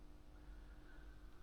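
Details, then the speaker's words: DIY 2-way active horn and closed-box speaker system with miniDSP, woofer power amp on, horn amp off: quiet steady low hum with faint constant tone; owner suspects the power supply, considering a different supply or 12 V battery. "And if we switch the horns off, and if I switch the power amp for the woofer on, you also can clearly hear the hum."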